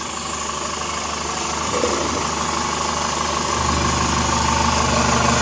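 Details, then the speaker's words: Chevrolet Captiva engine running after being held at 2500 rpm. Even, steady hum with a smooth rhythm and no knocks or rattles. Charging is normal, there is no compression leak into the cooling system and no blow-by smoke; the engine is judged good overall. "Kalau oli muncrat sudah biasa karena di situ ada komponen yang berputar. Good, mesin bagus. Overall engine-nya oke."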